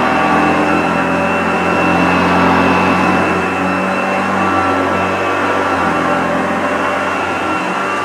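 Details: Unused 1975 Hoover Junior 1346A upright vacuum cleaning carpet with old belt: steady even motor hum with constant brush whirr, no knocks or scraping; lovely vintage sound, running normally, slight struggle thought not the motor's fault, new genuine belts would probably help.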